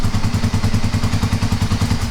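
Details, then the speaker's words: Kawasaki KLR250 single, hard to start for a year, kick-started with fuel sprayed into the intake: deep fast thumping about eight pops a second, catching only with extra fuel; lean starting mixture, suspected vacuum leak or dirty carburetor, unconfirmed. "since it lit off so easily with just a little extra fuel is that you either have a vacuum leak which is causing too much air."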